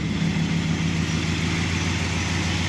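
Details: 1968 Dodge Dart running, no-start fault in the battery power wire with a smoked fuse terminal, not the alarm: smooth, even idle, steady low beat, no misses, knocks or squeals; normal idle.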